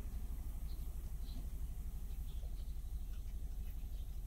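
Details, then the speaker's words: 2006 Renault Megane 2 with check injection/check gearbox warnings, codes DF073/DF074 cylinder 2 and 3 ignition coil circuits: low, uneven lumpy shaking idle pulsing about three per second, misfire and no power; cause was bad coil connector contact. "On peut voir les messages affichés sur le tableau de bord Et la voiture tremble à cause des ratés et n'a plus de puissance"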